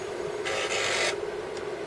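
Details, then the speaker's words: Atari 1050 floppy disk drive for Atari 8-bit computers, at switch-on: about half a second of raspy buzzing as the head steps through its initialization seek, then quiet hum; normal start-up seek. "so there is just some sort of initialization goes on there isn't there where it seeks"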